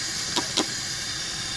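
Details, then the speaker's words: Car AC system pressurized with shop air, pressure dropping fast, heard at the wheel well with the wheel removed and a smell of freon: a steady high hiss with two brief louder spurts. The AC evaporator is leaking badly and needs replacement. "as you can see I took off the wheel and you could hearly I could smell frean and I could here the leak it's a mess of leak"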